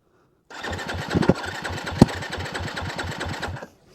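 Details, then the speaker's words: 2022 Yamaha WR250F, recently bought, hard to restart when warm and backfiring slightly, died about 5 miles into a ride: roughly three seconds of quick even electric-start cranking with no firing; cranks but won't start. "no no it's [ __ ] it's not it's not going to go"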